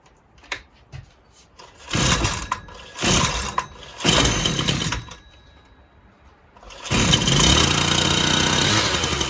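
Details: Husqvarna 122LK trimmer after carburetor parts and gasket were replaced: catches, dies, refires and fades before running on, the same problem as before, as if losing ignition; owner is not convinced it is fuel related and suspects a second issue.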